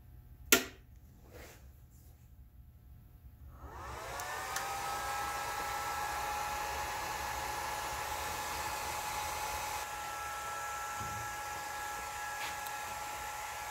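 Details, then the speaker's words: Chinese knife maker's belt grinder after replacing exploded inverter and rewiring: motor fan spins up after a few seconds into smooth, steady, hard-running whir, no rubbing or rattle; normal fan. "fans running sounds good now if everything runs right this should uh work"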